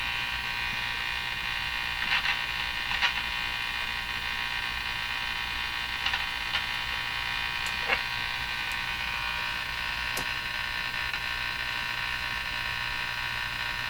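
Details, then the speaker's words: Northern Electric Baby Champ broadcast tube radio during an AVC capacitor investigation: steady raspy buzz with a high edge and occasional crackles when off-station. Interference of unknown source; it disappears when a station is tuned in. "so the only noise we can hear is this terrible buzzing"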